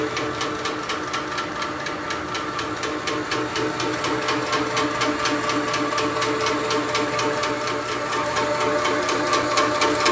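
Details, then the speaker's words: Shoebox compressor after belt drive upgrade replacing the original 2011 chain drive: even quick pumping beat with light regular tick and steady hum, significantly quieter than before; normal running. "okay so I got this belt drive upgrade just install here it's a significantly quieter I can't believe how much quieter"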